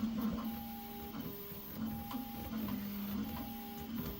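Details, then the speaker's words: Prusa XL multi-tool 3D printer after filament runout, loading new filament: stepper hum with repeating buzzy tones and faint clicks about every 1.5 seconds; extruder seems to be skipping, possibly extruder tension (suspected, not confirmed). "it does definitely does not sound very good does it sounds like it's skipping my filament being pulled in"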